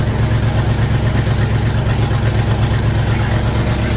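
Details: 1975 IH 3/4-ton 4x4 pickup, 4-speed, 142,000 miles, cold start in cold weather: loud low puffing pulses about three a second at idle drowning out everything else, from an exhaust leak.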